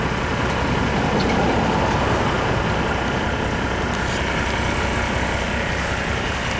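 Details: 1987 Mercedes-Benz 300D diesel on 100% vegetable oil, stock muffler before the swap: a steady, even diesel clatter at idle with a deep exhaust rumble, no misses or knocks; healthy idle.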